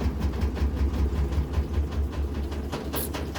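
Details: Kenmore washer during spin/drain: heavy low thumps two or three a second as the tub bangs and the machine walks across the floor, from worn suspension parts on the sides.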